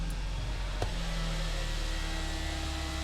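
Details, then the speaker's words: 2012 Kia Sportage 2.0L turbo GDI: electric brake vacuum pump under the hood kicks on at start-up and keeps activating as the brakes are pumped, a steady rough low buzz over the engine; internally worn pump, replaced before it fails and causes a hard brake pedal. "Start pumping on the brakes. You can hear it keeps activating. She sounds a little rough."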